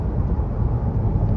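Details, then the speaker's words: 2005 Nissan Frontier 2WD, driven at road speed. A deep, steady roar from the left front that gets louder above about 60 mph and eases when steering right. Worn left front wheel bearing, hub replaced. "once again, you can hear the bearing on the left side roaring. I get up around 60 miles an hour, it starts making a lot more noise the faster I go."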